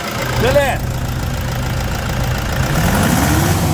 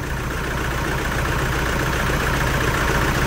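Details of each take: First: 2011 Toyota Hilux 2.5 diesel at idle after injector, pump and tank cleaning, intake manifold decarbonization, filter changes and new coolant: low, steady rumble with an even beat, slight shake but no misses; engine idles cleanly. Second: 2011 Toyota Hilux 2.5 diesel, lacking power, with uneven, lumpy idle stumbling a few times a second; misfire from contaminated diesel, scan shows pump valve code; pump, injectors, lines and tank removal and cleaning planned.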